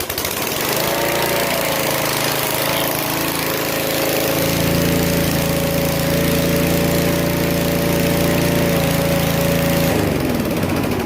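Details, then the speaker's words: 1987 model mower holds a steady, even small single-cylinder buzz for ten seconds with no misses or surging, then cuts off; normal running. "but yeah it runs I've I've been mowing the grass with it"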